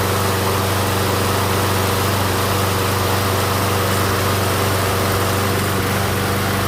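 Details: MTD Gold self-propelled mower with Briggs & Stratton Quantum engine, primed and started outdoors after pull-rope repair: steady, even drone at working speed, no misses or knocks; runs good, self-propel intermittent, owner suspects stripped front wheels.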